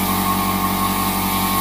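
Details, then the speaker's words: Iwata Studio Series Smart Jet Plus airbrush compressor set to 30 psi feeding a PS290 airbrush: loud steady motor drone kicks in and holds pressure without dropping or faltering; running normally. "we'll crank this up to 30 psi and you can hear that and we'll just work this you'll hear that kick in and this won't drop it'll keep that pressure going"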